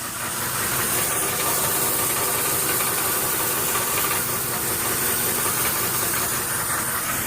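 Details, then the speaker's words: 1996 Land Rover, 156,000 miles, at idle: loose marble-like rattle from the flexplate/torque converter area; owner suspects a cracked flexplate (flywheel) rather than the torque converter, though the torque converter is possible. "now I do know there is a little bit of noise on this side the flexplate I do believe on the torque converter is making a little bit of rattling noise"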